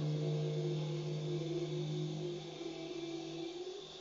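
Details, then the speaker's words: Automotech AS-235SBE 3.5-ton twin hydraulic ram two-post lift lowering at controlled speed, oil returning from the pistons: smooth steady hum and hiss slowly fading, no groaning or chatter; normal lift lowering. "and in the second we're going to see obviously all the oil coming back from the pistons all the way"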